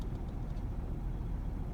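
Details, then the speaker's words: 2008 Ford Ranger XLT 3.0 with a cylinder 5 misfire code after sitting 3 years, warmed up at idle: low, uneven, loping idle with a stumbling pulse, steering wheel vibrating and white smoke; rough idle from misfire, suspected overfueling. "so if you have a rough idle you definitely have a misfire"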